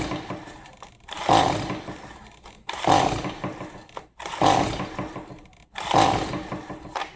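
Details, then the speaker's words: Stihl MS 180C brought in as won't-start, after dumping old fuel and adding fresh gas: four rough pull-cord rasps about 1.5 s apart, each dying away with no firing. Cranks but won't start; spark not yet checked. "Okay, it's back on the bench after the fuel dump. I got fresh gas in it. Let's try to pull it some more times and kind of see what happens."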